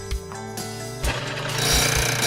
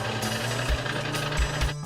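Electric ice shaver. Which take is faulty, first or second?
first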